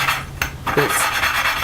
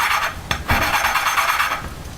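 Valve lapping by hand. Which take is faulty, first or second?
first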